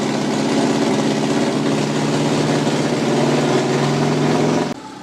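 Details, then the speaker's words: 1991 Volkswagen Westfalia with Subaru engine conversion, first-start idle on its own power: steady smooth low hum, no knocks or stumbles until shut-off; runs healthy, owner unsure why front radiator shows no heat. "all right guys well the uh van is now running it's idling uh on it own power right here sounds really good"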